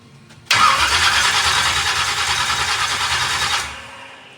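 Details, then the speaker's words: 409ci small-block Chevy race car at first fire-up: about three seconds of labored, uneven cranking that fades without firing; slow cranking, battery suspected nearly dead. "battery's about dead too it sounds like"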